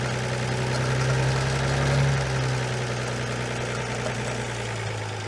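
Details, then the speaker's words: Armstrong Siddeley Special after new plugs, cleaned and new condenser: catches and holds a fast steady idle with even low drone, well above normal; throttle linkage needs adjusting, no oil pressure showing. "Fuel pump, ignition. Well, that runs. A bit quick, but"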